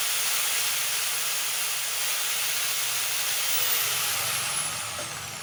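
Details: Makita angle grinder running freely at full speed with a steady high-pitched motor hiss, no rattle or grind, winding down slightly at the end; it runs normally.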